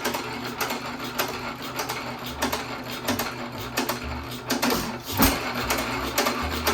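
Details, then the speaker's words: 1917 hit-miss economy engine after piston/rod swap, governed down to about 180-200 rpm (high end 250): slow irregular firing thumps under two a second with clatter between, flywheels nearly stopping; running almost at stall. "You can tell it's almost a stall when the flywheels come almost to a standstill."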